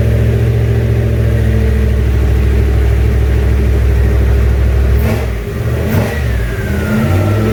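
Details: Junkyard 351W turbo V8 in a 1967 Mustang, first fire-up, exhaust exiting off the fender; uneven lumpy idle then a couple of sharp, hesitant, ragged blips, rough idle, owner says it needs a tune.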